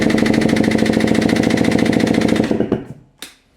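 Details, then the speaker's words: 2024 KTM 300 EXC TBI two-stroke with stock head, compression test, throttle fully open: fast, even, strong cranking pulses. Reads 210 psi, same as with throttle closed. "And it measures exactly the same, 210 psi, even with the throttle fully open."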